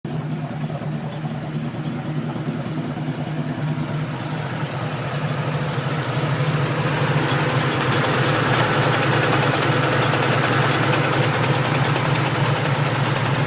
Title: Outside exhaust leak